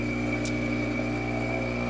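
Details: Profitec Pro 600 espresso machine pulling a shot after reheating and light pre-infusion: a steady, even low vibration-pump hum with no rattle or strain. Quieter than the Expobar Brewtus IV; normal operation.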